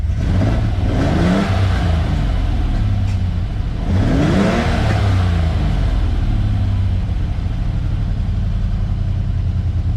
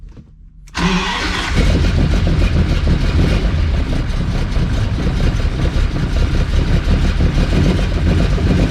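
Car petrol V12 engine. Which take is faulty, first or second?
second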